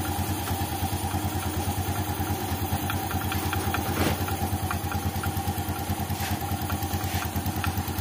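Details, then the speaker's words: 2014 Yamaha Jupiter Z1 idling, rattles when engine cold: light regular clatter about twice a second, loudest at the breather opening into the air filter; crankcase breather hose clogged with water, not clutch or engine internals. "Nah kan suara klotak-klotak ini suara dari sini timbul dari sini nih kita periksa ya untuk selang pernafasan mesin ini"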